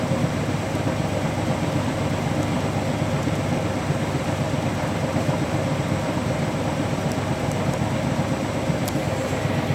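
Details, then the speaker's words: Hotpoint Active Care washing machine, final spin: fast spin with an uneven, lumpy thumping about every second over the motor rush, load off balance. Unbalanced spin. "quite an unbalanced spin there guys but I'll let you listen to it"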